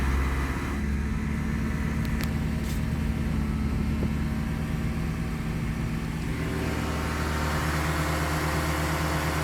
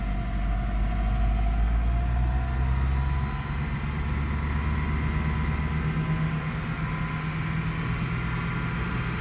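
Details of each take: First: Great Wall Hover H5 with a Mitsubishi petrol engine at 109,000 km, 4,000 km after a timing belt kit replacement: dull rapid knock at idle swelling as revs rise, fading above 2000 rpm, caused by a weak hydraulic timing belt tensioner. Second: Great Wall Hover H5 petrol (Mitsubishi engine), 109,000 km, idling after replacing the faulty timing-belt hydraulic tensioner that caused a knock: smooth, quiet, even low hum with no knocking.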